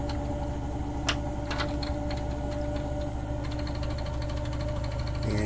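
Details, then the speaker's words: 2022 Rockwood 2899KS fifth-wheel RV washer during spin: steady washer hum with loose, uneven clicking and tapping as the nearby closet doors rattle from vibration. "you can hear the door here you can hear the rattle of that"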